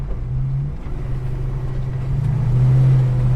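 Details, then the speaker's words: Holden HK V8 after new heads and an aftermarket cam, twin exhaust, extractors not yet fitted: deep, loping rumble at idle, steady and strong, with a slight swell in revs near the end. "So, since the heads are going on and the cam's gone, um she just makes this beautiful sound now, so"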